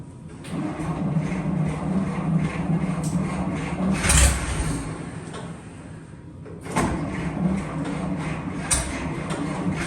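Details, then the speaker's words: 1941 Dodge half-ton pickup, first run after 39 years sitting, with the carb cleaned, a 6V battery on a temporary clip wire and a temporary fuel system: the old inline-six ticks over at a fairly steady low pulse and ran about 10 minutes. The engine was later found heavily rusted. "hey we're running okay well we just had a run in there for for probably 10 minutes"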